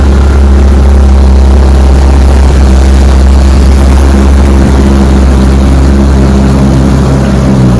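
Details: Fully restored 1958 Johnson 18 HP FD-12 outboard on a 14 ft Feathercraft, lake test at full throttle about 22 mph: loud, steady, even buzz held flat with no misses or stumbles, running clean; normal full throttle.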